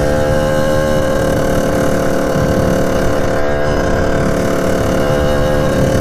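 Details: 1989 Kawasaki KX80 big-bore 110 two-stroke at full throttle: flat, buzzy note holds one pitch and never climbs into the power band; owner suspects jetting, cause unclear.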